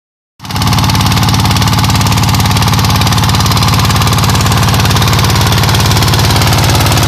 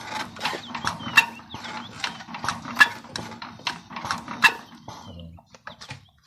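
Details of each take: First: ZS125 single-cylinder diesel after the camshaft gear was reset to cure ticking and misfiring, run about a minute to warm up and clear deposits: it fires straight into a steady, even thump with no ticking or skipped beats. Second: Diesel while cranking: sharp, uneven metallic ticks about every second or two, caused by a loose, moving camshaft. The fix is resetting the camshaft gear timing.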